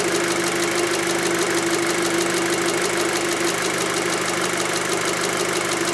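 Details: 2006 VW Passat 2.0T with a check engine light, lack of power and code P0190 from a broken fuel rail pressure sensor signal wire: smooth idle with crisp ticking from the high-pressure fuel pump. Sounds healthy, rail pressure read as 50 bar at idle.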